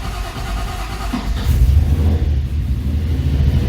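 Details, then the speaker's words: 1955 Chevy project car engine starts quickly after short crank once oil pressure builds, battery around 12 volts, then settles to a steady, even idle with no misses or knocks; healthy start and idle. "That ran good. It idled good. It turned over good. It started as soon as we had good oil pressure."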